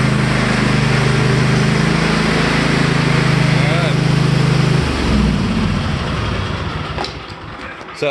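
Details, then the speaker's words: Cub Cadet Enduro Series XT1 LT46 riding mower after replacing a cracked, broken starter: it now starts well and the small engine settles into a steady, even drone, running smoothly. "watch how good this thing starts now so that was it and away we moow"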